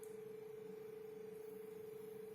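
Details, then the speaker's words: Lenovo Legion 5 17ARH05H laptop (GTX 1660 Ti, 144 Hz) under GPU load to spin up the fans: thin, constant mid-pitched whine over quiet fan hush – cooling fan ultrasonic whine, cause not pinned down. "кулер отчетливо но это и слышно и чувствуется теперь будем слушать этот ультразвук"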